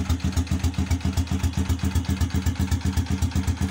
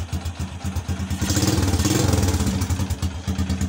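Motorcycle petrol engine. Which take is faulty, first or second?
first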